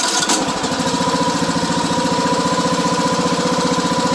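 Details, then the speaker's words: Briggs & Stratton 17.5 hp engine, model 31R977, on a riding mower: steady fast chugging as the starter spins it, only after backing the engine off compression; broken compression release on the cam, needs the engine removed and repaired. "this is a very common issue this is the briggs and stratton 17 and a half horsepower uh looks like the 31r977 model so the compression release isn't working"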